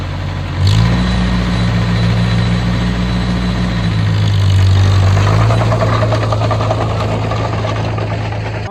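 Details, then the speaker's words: Oliver OC3 crawler engine, earlier low oil pressure with suspected ice, now warmed up after being dragged with brakes on for load; it catches, settles, then revs up and eases back with an even beat and no misses or knocks. Healthy warm running. "Well, we got it good and warm, worked it good there. Vic's just doing a walk around, checking the fluids, make sure nothing's blowing out of it anywhere. But yeah, seemed to perform well."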